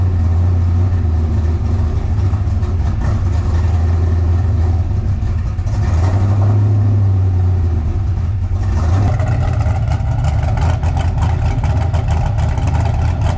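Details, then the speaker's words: Car warmed up and restarted after fixing a loose fuel fitting and reassembling; deep, strong engine note rising and falling smoothly with throttle, no misses or knocks; running normally. "so yeah there you go good way to finish the video got the card back together got it warmed up started right"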